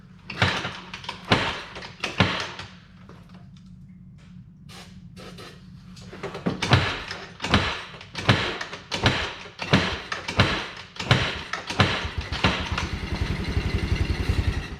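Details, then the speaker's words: Can-Am that was submerged in water, cranked after spraying in starting fluid: repeated heavy clunks more than once a second with low motor drone as engine struggles to turn over; starter suspected, not confirmed. "oh that didn't sound good guys but it also [Music] oh well we need a starter"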